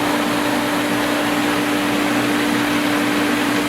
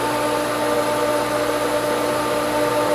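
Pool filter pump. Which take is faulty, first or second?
second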